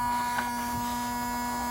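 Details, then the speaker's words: Mercedes 500E W124: steady electric hum with mid-pitched whine, a motor running on when it should be stopped; stops when unplugged, a light stays on; owner suspects a short in the wiring. "why is it making this noise I don't know I'm going to have to look something is shorting out somewhere"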